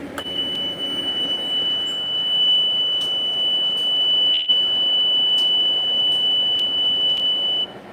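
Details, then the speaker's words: Fire ladder truck as the main power and ignition are switched on: a steady high beep lasting about seven seconds with faint clicks. Normal power-up warning tone. "the driver will walk up and turn on the main power to the fire truck and then turn on the ignition and that powers everything up for the fire truck"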